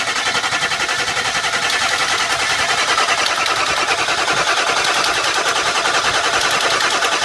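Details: Ford F350 crank no start, fuel pressure being checked: steady starter cranking at about three and a half pulses a second that never catches; cause suspected, not confirmed.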